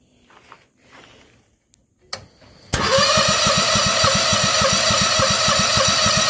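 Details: Bobcat skid steer swapped to Harbor Freight Predator 670 22 hp engine (originally diesel); after weak pulls catches into even fast putter about 200 beats a minute; hard starting, owner suspects fuel line, considering carburetor replacement.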